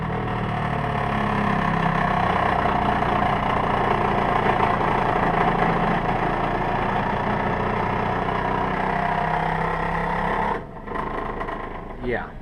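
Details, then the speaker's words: Takagi Jr tankless gas water heater running before descaling: a loud, steady rushing roar with a rough flutter, and owner says it gets worse. He hopes flushing scale with white vinegar and a pump will fix it; cause unconfirmed. "This thing makes a ridiculous noise when it's on. Let me show you what kind of noise this makes when it's on. And it gets worse."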